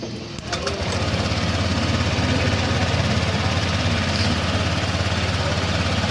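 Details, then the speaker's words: Honda Click 125 scooter brought in for a rattling (lagatak) noise: a steady but slightly slow, lazy idle pulsing about three times a second with no knocks; it runs fine but idles a bit low. "Okay naman siya. Okay naman, medyo mababa nga lang yung minor."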